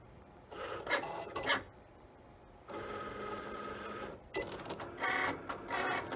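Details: Cricut cutting machine, bought April 2022, after replacing the wrong old-machine power cord that caused loud grinding: short whirring carriage moves with brief pauses, a clean motor buzz and no grinding, normal cutting.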